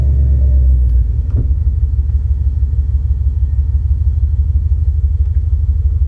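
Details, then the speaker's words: 1989 Mercedes W126 420SEL V8, bought as-is, idling: a deep, heavy rumble with an even throb of about three pulses a second, far too loud for a car that should be quiet and smooth; loud exhaust rumble from a fault not yet located. "so as you heard it's kind of loud if this was a Camaro you'd say man that sounds good I don't want my 126 Mercedes sounding like a Camaro it should be quiet and smooth"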